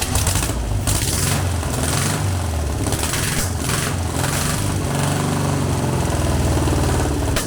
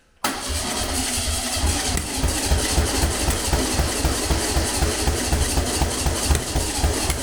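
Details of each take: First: Long-dormant 1200 VW Beetle air-cooled engine on a test stand after freeing a stuck lifter, no parts replaced; steady low throb, even unbroken firing beat, no misfire or lifter tap; normal running. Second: Long-dormant 1200 VW Beetle air-cooled engine on a test stand; cranks at about four pulses a second, firing roughly, never catches; plug leads wired anticlockwise like an MGB, but this distributor rotates clockwise; wrong firing order, no-start.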